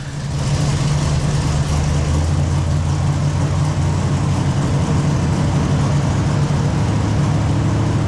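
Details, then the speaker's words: 1968 Camaro fresh 383 stroker V8 on first start after correcting timing: steady fast idle near 1100 RPM with even rumble, choke fast idle still engaged; target idle 850 RPM. "I corrected the timing, the idle speed came way up, we were about 1100 RPM."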